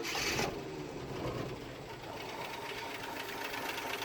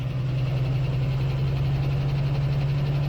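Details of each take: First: 1976 postal Jeep parked in woods for years, freshly started: fires right up, rough rapid clattering tick with audible valve train, knocking, nothing on oil pressure gauge; low oil pressure suspected, gauge fault possible. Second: 1976 postal Jeep parked in the woods for years, started on a jump pack: steady low drone with even, smooth idle and no knocks or misses; running fine, arguably better than before.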